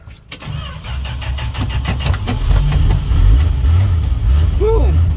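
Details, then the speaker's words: Old truck sat at least two weeks, warm June evening start after pumping pedal: brief crank, engine catches into a rough, lumpy low idle that gradually settles; hard starting, no gas in the bowl suspected. "still no gas in the bowl so it's just it's doing a lot listen to that starter oh yeah"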